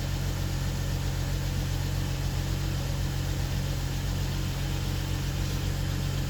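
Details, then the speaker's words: BMW 640 with N55 engine, first start after engine swap: steady, even low rumble with no knocks, ticks or misses; smooth healthy idle, some smoke thought to be oil in the engine bay. "Det är olja och sånt, bror. Jag tycker det låter bra, walla."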